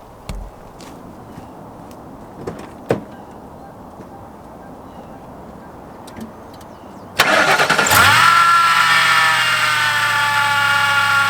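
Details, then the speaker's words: Crown Vic or Grand Marquis (2003–2011) started with the serpentine belt on. The engine fires into a harsh, raspy whir with a thin squeal over idle; noise from the belt area. "And to diagnose it simply, what you do is you start the car, you hear the noise, and then what you do is you take your belt off and turn the car on again."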